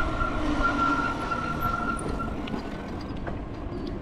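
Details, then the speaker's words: E-bike riding through puddles on a wet road after rain: a thin, steady high-pitched squeal for about two seconds over road noise, then it fades; brakes squealing, rider attributes it mostly to the puddles. "weather we definitely got squeak again the breaks now going through these uh puddles that's going to Tribute to most your uh squeaking"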